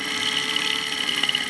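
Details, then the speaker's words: Second 24-volt wheelchair motor for a four-wheel bicycle car, gearbox disengaged, gearbox found packed with grease: steady high-pitched whine with gritty, uneven hiss, motor struggles; abnormal motor noise, cause unknown. "so i'm gonna disengage it i'm gonna turn that on and you can hear it sounds kind of funky now"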